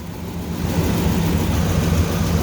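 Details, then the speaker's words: Ford 5.4 3V V8 first start after repair work: a steady, even low idle rumble, a little noise but no squealing. "No noise. Well, it's a little noise, but it ain't no squealing."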